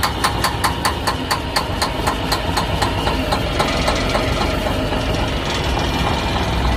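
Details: Semi truck diesel that won't start: rapid rhythmic clatter, about four beats a second, as the starter spins it over, then a rougher drone; not catching cleanly; cranking, no start.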